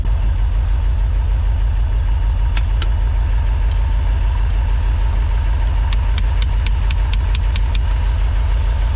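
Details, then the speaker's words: Porsche 928 manual, long-sitting: low idle with faint uneven beat after stuck fuel injectors were freed by tapping; previously died off throttle, now smoother but slight misfire lingers, injectors still need cleaning; good oil pressure. "all right it's definitely an injection problem as soon as I let off the gas it's gonna die it'll probably die it's idling really really low"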